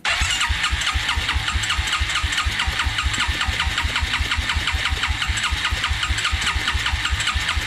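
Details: 1996 Suzuki King Quad 300 4x4 ATV after carburetor rebuild, air box off, first start attempt as fuel reaches the carburetor: fast even starter chug with a high whir; engine spins over but never catches.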